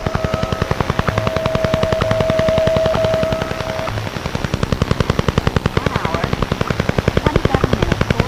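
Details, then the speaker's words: HF amateur radio receiver audio: a fast, machine-steady pulsing buzz of roughly ten clicks per second over receiver hiss, like the Soviet 'Woodpecker'. Over-the-horizon radar interference, not an equipment fault. "This this noise that you hear is over the horizon radar. There was a famous uh over the horizon radar that was used by the Soviet Union called the Woodpecker and it sounded like this."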